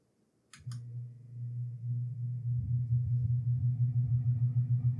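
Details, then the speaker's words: Lasko Wind Tunnel fan after cleaning and reinstalling the shaft into the motor: low motor hum builds slowly with a throbbing pulse about three a second; noisy, weak and slow to reach full speed; owner suspects faulty shaft installation or burnt-out motor. "It's It's working better, but it's still making a sound. Is it possible we I messed up on the installation of that shaft into the motor? Or is it possible it burnt out?"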